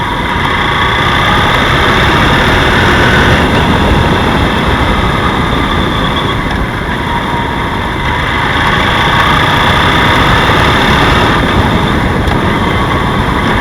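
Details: BMW F 800 GS twin at idle: steady knock about four times a second over the engine note; engine knocking noise, cause unknown.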